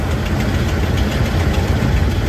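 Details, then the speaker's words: Camper "Freedom" at cold idle, also leaking coolant (Prestone); low rumble with quick, steady clacking on top is the leaking exhaust manifold gasket, replaced twice before, to be changed possibly with stainless gaskets. "Le claquement que vous entendez, c'est le gasket, c'est le collecteur d'échappement."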